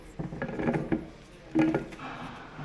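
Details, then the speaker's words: Mitsubishi Outlander PHEV electric motor, only 12 km run, found with about 50 g oil and an insulation resistance fault: rough, gritty rubbing in bursts as the rotor is turned by hand; bearing collapsed inside. "quelque chose s'est effondré dedans et ça est avec une course de 12 km"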